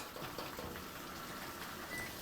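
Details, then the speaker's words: Frigidaire electric laundry center washer in diagnostic test mode, light soil step with lid locked: hot valve off, cold valve on, steady even gushing of water into the tub, no valve buzz or hammering; normal cold fill. "Light soil, which is another turn clockwise, shuts off my hot valve, turns on my cold valve, and continues to fill."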